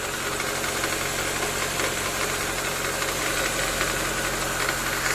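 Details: 2014–2015 9th-gen Honda Civic CVT in Drive, braked while lightly accelerating at 1300–1500 rpm, cold: buzzy irregular rattle seemingly from the serpentine belt tensioner area, gone once warm; loose/old belt suspected, unconfirmed.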